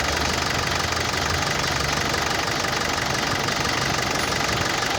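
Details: Mitsubishi L200 Triton diesel at idle: hard, steady knock about two a second that seemed like an injector, but rail pressure reads around 116–117 MPa at idle, far too high, blamed on a faulty injection control module.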